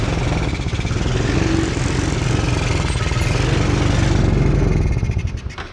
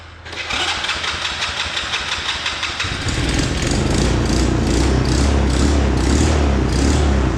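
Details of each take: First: Hard-starting 125cc Chinese kids' ATV, carb adjusted (screw at four turns) for possible fuel starvation, old spark plug still in: chugs unevenly with a ragged misfiring beat, then sags and quits; rough running from worn spark plug. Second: 125cc Chinese kids' ATV after carb clean and new spark plug, sat a while, started on battery source: cranks briefly, catches and settles to a quick, steady, even putter with no misses; idle then adjusted down, runs much smoother; normal start and idle.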